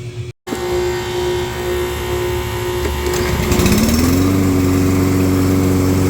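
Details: Toro mower after a carburetor rebuild; it had refused to start and was popping back because of water and gel in the fuel, and now starts right up into a steady, even hum that revs smoothly with no popping or misses, so it is running normally.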